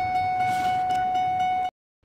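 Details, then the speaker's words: 2003 Ford F150 King Ranch, turn signals and brake lights lost: a constant mid-pitched electrical buzz under the dash returns even with new flashers. The cause was moisture from snow in the multi-function switch. "what it ended up being was I ended up getting this wet uh last evening I was horsing around with my son and and I'm getting a little bit of snow on there so there was some little bit of moisture down in here"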